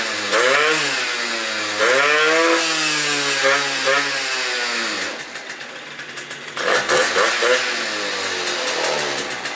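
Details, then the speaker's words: Yamaha Vino two-stroke scooter with new 70cc big bore kit and aftermarket V8-style expansion pipe: crisp revs rising and falling cleanly, each picking up and settling without stumbling; engine runs solid. "But, as you can see, Veno runs solid now."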